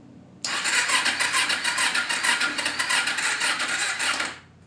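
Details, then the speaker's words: 2011 Kawasaki Ninja 250 on choke with fuel turned on: starter churns steadily for about four seconds at roughly three turns a second without catching, sounding weak and laboured; slow cranking, owner suspects a dead battery. "yeah it cranks over but it seems like the battery's dead so let's go ahead and pop the seat and we'll throw a battery charger on it"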